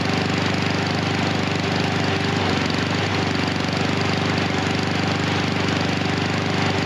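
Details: Husqvarna HU 700F mower with choke that keeps slipping back on after the lever is pulled off. The engine hunts and stumbles unevenly at roughly two beats a second, running rough and rich with the choke stuck on.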